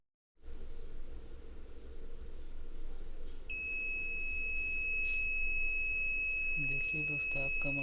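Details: DT830D multimeter with a long-beep fault, after the burnt SMD resistor was replaced with a 1.2 kΩ resistor: after a quiet hum, a clean continuous high beep holds steady. The continuity buzzer now works properly.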